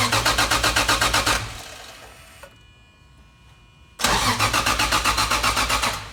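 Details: Toyota JZX110 stock 1JZ engine with HY35 Holset top-mount single turbo, j-pipe delete: two spells of even starter cranking, about four beats a second, no firing, igniter chip unplugged to build turbo oil pressure before first start.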